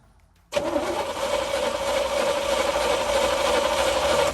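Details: 1972 Chevy K10 4x4 with a 350 V8, sitting 20+ years, Holley carb: steady starter whir, about three turns a second, but it never catches; cranking without a start.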